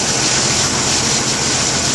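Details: 1991 Jeep Wrangler YJ 4.0 idling with fuel pressure regulator vacuum line off, 39–40 psi, pump and regulator working correctly: steady even idle under strong hiss, no miss or stumble.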